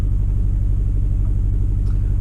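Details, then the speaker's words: Engine idling deep and lumpy with uneven pulses, running really rough. Codes show cylinder 3 and 4 misfires after the suspect ignition coil was swapped from cylinder 4 to 3, pointing to a failing ignition coil. "I don't know if you can hear that. But it's running really rough. See how choppy it looks."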